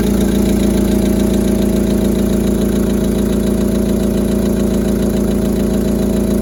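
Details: VW Polo Sedan 2010, 157,000 km, running cold: steady idle with a regular knock about three or four beats per second over the engine hum; knock of unknown origin.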